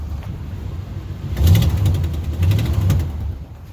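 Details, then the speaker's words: 1987 Chevy R10 Suburban V8 at idle: quick sharp puffing ticks over a deep idle from a very big exhaust leak, which sounds like rod knock when driving. "sounds like a rod knock when you're driving so yeah it's got a very very big exhaust leak"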